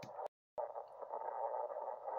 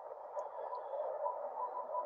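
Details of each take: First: Ham radio on 3526 kHz, 80 m band, insulated 20-gauge wire dipole, very dry clay soil: harsh crackly static with sharp sparking pops spiking to S9, impulse noise from a nearby power line. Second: Ham radio receiver on 3526 kHz, bottom of 80 m band, S3–S6: even rushing static with faint crackle and no strong bursts, ordinary distant lightning noise.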